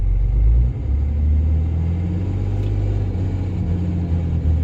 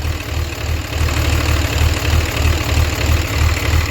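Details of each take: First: Diesel hotshot truck with manifold pressure/MAP sensor codes that return after clearing: deep steady rumble with an uneven low throb and a couple of sharp clacks; abnormal, cause not yet diagnosed. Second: Diesel hotshot truck with MAP sensor codes, smoke and transmission fluid leak; deep steady idle, about three beats a second, no puffing or irregular knocks. A blow-by check shows the motor is healthy.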